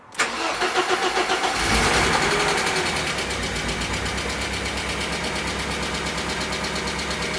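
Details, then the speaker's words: Barn-find 1980s fuel-injected BMW E30 M Sport, parked for years: steady cranking, then it catches and settles into an even idle once fuel pressure is supplied around the dead fuel pump; running really nice. "that's running really nice yeah there's nothing coming out of the engine"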